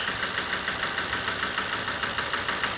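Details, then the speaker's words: 2007 Toyota Avensis D-4D diesel with low power, ticking and a flashing engine light. Rattly idle with a steady clatter keeping engine pace during a cylinder fuel-cut test; it runs smoother with cylinder 4 cut, so that injector is suspected of the bang. "funny that come back that sounded better when the injectors cut off we've got a bang in there"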